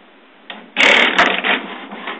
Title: HP printer makes strange noises...